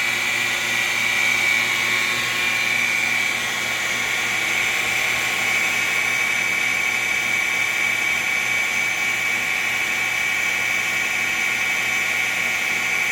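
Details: FloTec FP4150 pump, installed 15 months: harsh, gritty grinding with a steady high-pitched whine on top while running; cause unknown.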